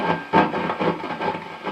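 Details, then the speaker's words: Gain knob on a borrowed Mesa Boogie Studio 22 valve amp makes irregular scratchy crackles and pops as it turns; a dust-dirty pot, to be treated by spraying contact cleaner into it. "So I'll just show you what the problem is. As you can hear, the gain knob's got a really bad crackle."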